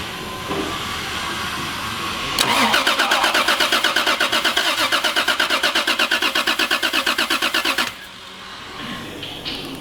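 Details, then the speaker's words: Naturally aspirated manual Toyota Supra 2JZ-GE, newly fitted with individual throttle bodies and a new ECU setup, first start attempt after more than a year in the garage: the starter cranks at about three even beats a second for five seconds, then stops without catching. "now uh liam's fit all the kit we've got pip here who's doing the ecu and it sounds like it's turning over now so let's go see"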